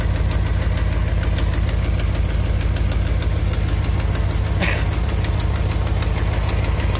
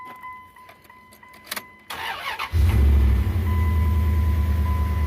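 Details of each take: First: 2001 Dodge Ram 1500 4x4 V8 at idle, before repair: sharp regular tick about three per second, which the owner places at the back of the exhaust manifold. Exhaust manifold leak. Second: 2001 Dodge Ram 1500 4x4 V8 after tightening loose exhaust manifold bolts: starter whirs, engine catches quickly and settles to an even, smooth idle; previous ticking and spitting exhaust leak gone, check-engine light still on.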